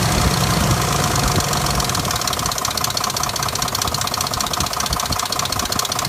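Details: 2005 Dodge Durango idling with a steady knock, roughly two to three beats a second, throwing codes P0343 and P0172; cam sensor, O2 sensor, transmission and exhaust manifold already replaced, cause unknown.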